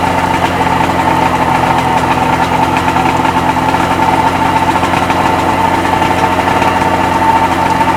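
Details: Freshly rebuilt Sea-Doo XP 720 two-stroke, driveway run on flush hose, pump disconnected: even buzzy idle with steady pitch, no misses or knocking; purring along, normal idle.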